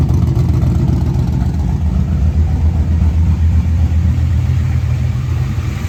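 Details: 1988 Chevy Camaro IROC-Z V8 after replacing lifters that would not stay pumped up and caused lifter noise: steady, low idle with even firing pulses and no top-end ticking or tapping; normal idle.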